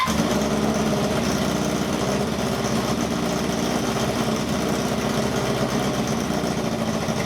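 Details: 1978 cafe scrambler motorcycle after a full rewire, running on new plugs that replaced coked-up ones: the small engine buzzes unevenly with a ragged patter and won't idle properly, sounding a bit better after blips; cause suspected, not confirmed.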